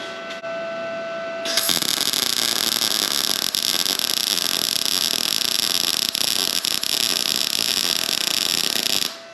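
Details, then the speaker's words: Arccaptain MIG 250 tacking at about 18 volts: a steady hissing arc crackle without a crisp frying bite. The voltage is too low, so the weld pulls up and doesn't burn in; 19–20 V ran better. "Definitely think it can be a little bit hotter. The weld's kind of pulled up there, it's not burning in."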